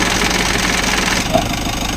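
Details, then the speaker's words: Mitsubishi L300 Euro4 AC compressor at idle, recorded near the engine: harsh gritty grinding once the compressor clutch engages, like something grinding inside; cooling weakened; compressor internals suspected, not confirmed. "Yatay ko muna ulit kasi parang parang gilingan siya ng ko alam kung mais o parang may ginig-gilid siya sa loob."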